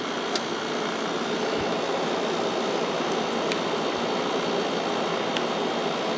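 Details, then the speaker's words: 1995 Kenmore 5,450 BTU window AC with GE PSC fan and Sanyo compressor, about 20 minutes in, switched from low (3.78 A, 423 W) to high fan: steady air rush and smooth hum, blowing cold air even with a heater aimed at it, normal cooling. "this is blowing nice cold air even with the heater going right into it so I think that's where it's going to sit now"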